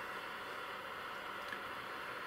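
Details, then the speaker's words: Ferranti MPT1089 mains/battery radio from around 1962–63, powered up before disassembly drawing about 30 mA: flat even hiss with no stations and no response to the wave change switch; suspected dead local oscillator or converter. "okay just noise very careful of this wave change switch so just noise no local oscillator it's probably what's wrong with it"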